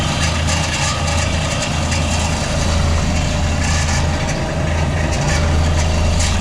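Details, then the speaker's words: Walk-in cooler used to air-condition a garbage room: deep steady drone with uneven rumbling flutter; one evaporator fan motor shakes violently, shaft worn with excess play, the other sounds okay. "can tell you right now, the problem is with this one. That one sounds okay. Pay attention to the shaft if you can see it. Alright, looks a little smooth. Look at this one. I don't know if you guys can catch it, but this motor is shaking like crazy."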